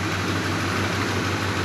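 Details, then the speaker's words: 1985 Suburban K20 after removing the air filter that was pushing on the throttle: even, low idle rumble holding steady speed with no belt squeal or hunting; smooth, normal idle. "I took the air filter on it's idling fine R's fine the belt's not scream nothing"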